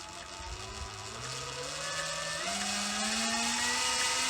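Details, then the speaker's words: Sur Ron electric bike after replacing jackshaft bearings to cure clicking: smooth motor whine climbing in pitch, very quiet, all clicking gone; bearings run healthy. "very quiet all the clicking's gone"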